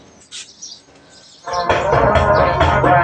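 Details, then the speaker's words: Micro Tech MT2800 power amplifier with speakers connected: channel 1 plays fine, but channel 2 sounds dull and muffled with the treble missing and a rough, broken-up distortion, a distorted amplifier channel. "เสียงแตกอู้อี้ไปหมดเลย"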